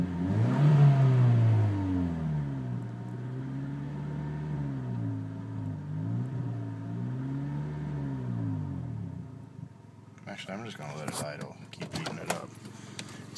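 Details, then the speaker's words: Honda Civic at 161,557 miles idling after new muffler install: throaty, uneven low drone swelling and sagging, exhaust puffing through a crack in the tailpipe; owner thinks it needs to get hot and seal. "guess it needs to get hot and mesh but I'll show you where it's cracked at"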